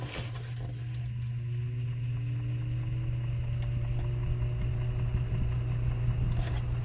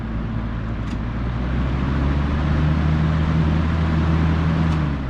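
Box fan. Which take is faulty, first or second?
first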